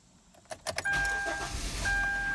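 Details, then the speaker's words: 2012 Kia Forte with intermittent no-start, fully cold engine after repair: short crank, catches straight away and settles to a steady idle with chime; starts cleanly. "will this car start and starts right up no hesitation"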